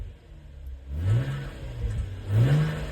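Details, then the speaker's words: Infiniti M35x revved, complaint worst on cold startup: two quick revs with faint tinny rattle on rising exhaust note from a loose exhaust heat shield; fixed by clamping it down with a hose clamp. "When you rev up the engine like that and you hear that rattle, that's a loose heat shield."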